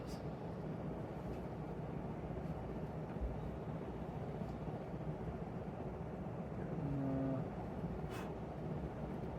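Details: 1942/1949 Hunter R-52 composite ceiling fan on high, about 913 rpm: steady soft whoosh over low hum, no ticking, wobble or rubbing; runs smoothly.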